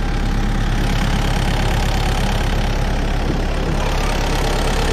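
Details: Stump grinder idling during its first job after a motor rebuild (piston cleaned), on a willow stump: steady, even low-pitched idle at a regular beat with no knocks, misses or rattles; healthy.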